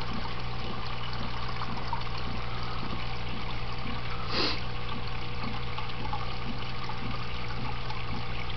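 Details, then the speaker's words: Desktop aquaponics, two aquarium tanks, two grow beds, one pump on 15-minute timer intervals: low steady pump hum, water trickling evenly into first bed, slow to fill since bed lacks medium; pump working normally. "it takes quite a while to fill up because it's not full of medium so it has to fill completely with water water"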